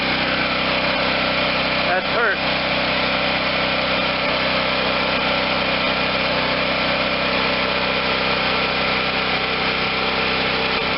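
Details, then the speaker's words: Garage-sale Wen 4050 generator with new carburetor, auxiliary tank feeding the carb, running without load; even, steady buzz with no surging or misfires, engine speed a little high and needing turning down, otherwise sounds like new. "we're still just a little high on the on the speed by the way that he feels good i have to turn the engine speed down some okay so we got an engine that sounds like a brand new one runs smoothly no surging even under no load"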